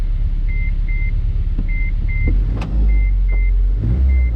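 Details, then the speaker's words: 8th-gen Civic Si with K24a2 swap, TSX intake cam, 310cc injectors, borrowed base map and no coolant, first start: deep steady rumble under a dash chime, revs hang high instead of dropping back. "Oh, rev hang. I got to get rid of that."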